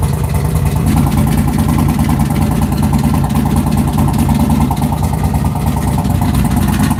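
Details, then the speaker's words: Freshly assembled engine, reused oil with about 10 miles on it, first run after a bent valve; lumpy V8 idle with sharp ticking puff each firing pulse; owner suspects small exhaust leak from something knocked loose. "It sounds alright. Everything sounds good. I mean, it was running rough. It sounds like I might have a little exhaust leak, but I gotta knock something loose."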